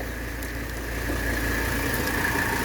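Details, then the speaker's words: 1985 Mercedes 300D (W123) diesel with 18,000 miles, idling during an AC recharge with refrigerant still going in. The AC compressor kicks on with a steady mid-pitched whine over an even idle, and the vents turn cold. Normal compressor operation. "But I heard the compressor kick on. And we should be getting cold by now."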